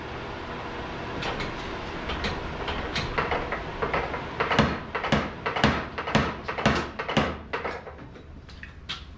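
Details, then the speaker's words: Little Giant trip hammer after replacing the broken, cobbled-together toggle link: uneven heavy blows about two per second with sloppy spacing; working again but loose and floppy where the toggle T's contact the ram, pivot needs machining. "I am detecting some loose and floppiness in the where those T's are contacting the ram."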